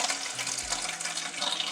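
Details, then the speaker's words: Toilet after fill-valve replacement to fix constant running, with a small supply-line leak being checked. Steady hiss of water flowing into the tank with no gurgling; it should shut off at the fill line. Normal tank refill. "If this is fixed properly, once the water hits the fill line on the fill valve, you should hear the water turn off."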